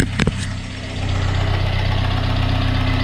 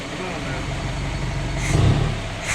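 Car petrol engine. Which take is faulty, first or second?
first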